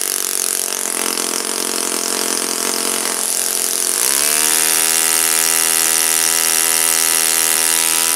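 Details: Saito FA-56 four-stroke glow engine, first run after teardown, cleaning and bearing replacement; apparently moderate-time engine on 12x6 prop, OS F plug, 5% Omega fuel. Rising bark settling into a steady, high, clean buzz with even firing, no misses; normal running.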